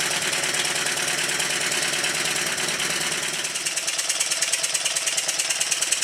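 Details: Newly built Stuart triple expansion model steam engine during run-in, on a rubber mat, run in both directions: quick, even clatter of valve and rod beats about three a second, steady, with no knocks.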